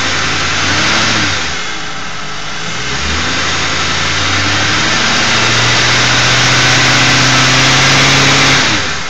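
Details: Ford 4.6 V8 revving up and down with failed Prime Guard oil filter anti-drainback valve: steady buzz over engine note following rpm; a replacement filter of the same brand buzzed too, torque converter or transmission front pump also suspected.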